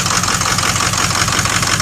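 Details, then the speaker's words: 2006 Ford XLT diesel truck idling: rapid, even harsh hissing chuff. Exhaust escaping from a broken bellows and a Y-pipe that is not fully lined up; a coolant leak was also found. "Yeah, I mean, we got a broken bellow and a Y pipe that's not lined up all the way."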